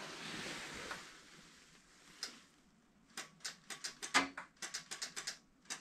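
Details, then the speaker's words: Toro Wheel Horse 520H garden tractor that sat in a shed for years, choked at half throttle and nearly out of gas: a quick run of uneven dry clicks, about a dozen in three seconds, and no cranking. The battery is too weak, so jumper cables come next. "and apparently we do not have enough juice to turn this over I don't quite understand that this thing was full"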